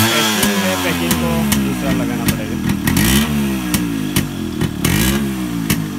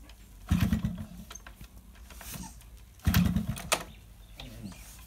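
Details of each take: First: Yamaha RX100 two-stroke after a hard morning cold start following heavy rain: crisp popping climbs and falls with each throttle blip and settles back cleanly; running normally. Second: Yamaha RX100 two-stroke, morning cold kick start after heavy rain: two kicks about two and a half seconds apart each give a short sputter that dies without catching; hard cold starting, spark plug suspected.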